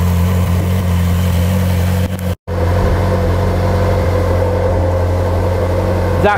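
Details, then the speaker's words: Ferrari 458 Spider V8 idling after the EVAP purge valves were replaced: a smooth, even, quieter idle with a steady low hum. The constant ticking from the purge valves is gone. "definitely quieter The Purge vales being replaced has definitely got rid of that ticking sound there was a ticking sound a constant ticking sound from those Purge valves that noise is now gone"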